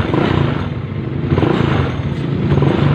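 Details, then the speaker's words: Honda Mio Sporty scooter engine after a hard-starting fix with the engine reassembled (piston and parts refitted): quiet, even idle putter with no ticking or clatter; normal idle. "so ito na naban natin yung makina no shortcut tayo kasi ano papaandarin na natin ayun tahimik na po"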